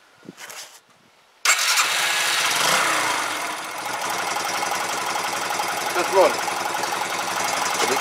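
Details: Yamaha YBR 125 being revived after sorting its messy wiring; the fuel pump primes but is temperamental. The engine cranks and catches, then runs an uneven, lumpy idle. It runs poorly, cause not yet found.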